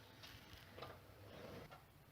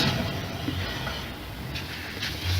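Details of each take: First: Infiniti FX37S wheel spun by hand on a lift: soft whir and light ticks, no hum, no play; the healthy side, compared against the opposite hub whose bearing hums. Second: Hand-spun wheel on an Infiniti FX37S raised on a lift, giving a low, gritty hum from a worn hub bearing. There is no play in the wheel, and it sounds clearly different from the right side, so the left hub bearing is to be replaced.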